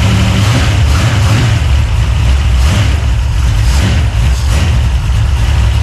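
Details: 383 stroker small-block V8, freshly built and swapped into a 1970 Monte Carlo, at first fire-up in the car: deep, loud idle with an uneven, choppy lope from the big cam, steady with no mechanical knocking; normal lopey cam idle.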